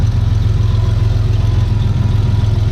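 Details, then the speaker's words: Turbo GM 3800 V6 Camaro at idle with new full 3-inch exhaust and new serpentine belt setup: deep steady rumble, turbo faintly audible spinning, no oil leaks; possible slight exhaust leak. "Turbo's spinning. You can actually hear it slightly bit. Sounds nice and deep."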